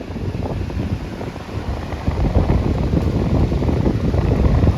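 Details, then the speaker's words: Standing fan, about 6 months old, running after repair: one of three wire lugs was loose and was tightened. A smooth, steady rush of air with an even low hum and no rattle; all three speeds and switches work, timer fine. "වෙන නාලේ speed තුනම වැඩ කරනවා. බඩු වැඩ කරනවා මේ switch තුනම හොඳට වැඩ කරනවා ටයිම් එකේ ප්‍රශ්නකුත් නැහැ"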